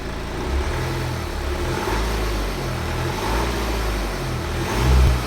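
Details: 2011 BMW F20 118d, N47T diesel: revving up and down, a rough clatter rides over the engine note only above 1500 rpm; owner unsure whether timing chain or crank pulley damper is knocking.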